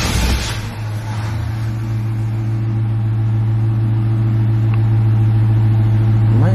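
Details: C4 Corvette after jump-starting its dead battery: steady, even starter cranking at about three and a half turns a second with a strong low drone, but the engine never fires; crank, no start, cause not yet found.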